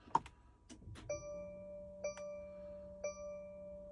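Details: 2024 Mercedes Sprinter, battery fine and starter recently replaced, intermittently won't start: foot on brake, start button presses bring only a chime repeating about once a second, no starter whir or crank; no-crank no-start, cause unknown.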